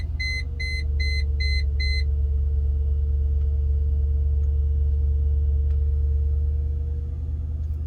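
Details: 1999 Mercedes C43 W202: a burst of five quick chimes, then only a steady low rumble; the engine never starts, suspected EIS (ignition/immobiliser) issue, not confirmed.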